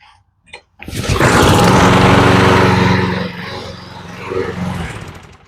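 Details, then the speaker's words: Mower with a Briggs & Stratton Quantum engine that previously started only with starter fluid, primer bulb pumped 20–30 times after the fix: a short pull, then the engine catches at once and settles into a steady, even beat; starts clean and runs healthy. "and she starts and she's ready to go"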